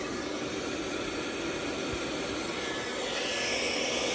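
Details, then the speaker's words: PowMr 3.5kW all-in-one inverter on a 48V 200Ah battery, under about 1.8 kW load, inverter at 31–32°C: a steady, even rush of both cooling fans with no rattle or wobble. Normal fan operation under load. "yeah both of the fans are on at uh 1.8 Kow"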